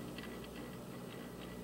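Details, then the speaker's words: Newcomb classroom phonograph powered up: motor, mounted in dried-out rubber bushings, hums steadily with a faint regular ticking about three times a second from worn bearings. "Motor sounds okay. No, it's got bearing issues."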